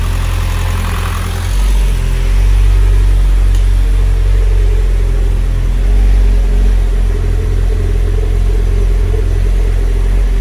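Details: Mitsubishi Evo X 600bhp turbo petrol build, first start after fitting the timing chain and replacing the turbo feed banjo bolt: clean, even low-rumble idle with no knocks or misses. Oil burning off the new manifold and downpipe; earlier lumpiness was put down to the hardwired fuel pump.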